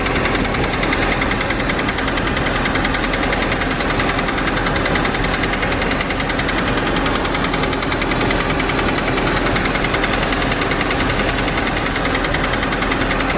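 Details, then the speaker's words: Audi A4 B5 at rough idle: steady knocking about twice a second, initially feared as rod knock but owner now suspects the rear timing chain, possibly from running low; manifold leak noted, compression test planned. "a little issue i need to do a compression test on this thing too so you hear that knocking noise i thought"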